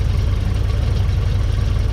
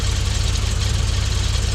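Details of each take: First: Frogeye Sprite small four-cylinder after bare-metal rebuild, steady low idle with slightly uneven beat as distributor is loosened and ignition timing adjusted by ear; engine keeps running throughout. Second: Frogeye Sprite four-cylinder warming at idle after ignition timing adjusted a couple of degrees by ear and new coil fitted to cure a misfire; quick even idle pulse, no miss or knock, sounds happy.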